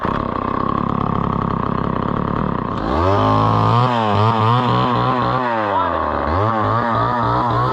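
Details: Homelite Super XL chainsaw bought at auction, about 50+ years old, 20-inch bar, restarted; catches and revs crisply, pitch dipping and recovering smoothly as it cuts wood; runs well with good power.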